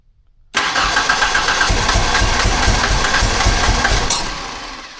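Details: 1991 Ford Ranger after swapping the TFI/ICM module restored spark: fires and runs unevenly, lumpy stumbling beat about four pulses a second, then dies; blowing black smoke, crank sensor code stored; rough misfiring run.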